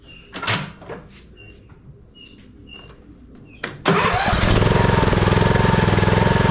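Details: Troy-Bilt Pony riding mower (model 13AB77BS023) after annual service with a fresh oil change and new filter: after a few handling knocks it cranks, catches and settles into an even, steady putter of about 214 beats a minute; healthy idle.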